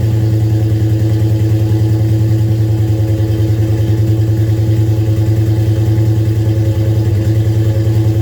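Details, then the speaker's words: Dodge Charger Daytona V8 with headers and Flowmasters from a parts car, startup idle: deep loping beat with chuffing old-tractor-like puff from exhaust leaks at the headers, less audible from the back. "Although it doesn't sound very, it kind of sounds like an old tractor with the exhaust leaks off the headers, but you can't hear it too bad from the back."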